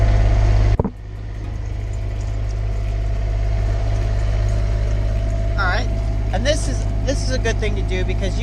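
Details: Motorhome coach generator, started after holding the switch off about 5 seconds during pre-trip inspection: short crank catches at once, then a steady low engine drone holds even; starts and runs healthy.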